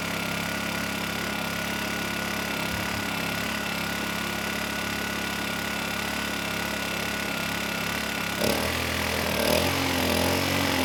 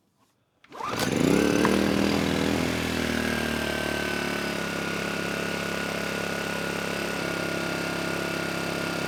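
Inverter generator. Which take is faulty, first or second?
first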